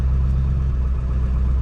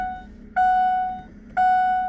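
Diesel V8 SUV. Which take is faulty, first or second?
second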